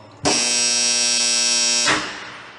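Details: Contactor with its coil energized: loud, harsh buzz for about a second and a half, caused by dirt between the fixed and moving cores; after cleaning, it runs silently while held on.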